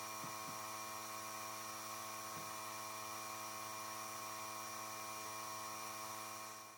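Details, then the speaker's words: Small compressor blowing air through an unheated Panoramic RV's water lines during winterization, after pressure dropped as the system drained; steady high buzzing hum, even unwavering pitch, normal running while the side shower is opened. "pendant que le compresseur continue à pousser de l'air on va venir ouvrir la douchette sur le côté"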